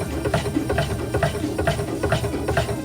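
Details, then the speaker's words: Cruisers Yachts 320 Express head system after replacing accumulator vacuum switch: steady rhythmic pumping about two strokes a second, unlabored, charging the accumulator; fixed, normal. "We should hear it uh hear the pump run for a little bit until it charges the accumulator and then it should stop."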